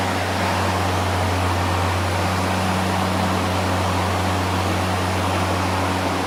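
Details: New EGO LM2142SP 21-inch dual-battery self-propelled brushless cordless mower at unboxing, mulcher fitted: smooth, constant low hum with a steady rush of air, no rattle or wobble; healthy mower running.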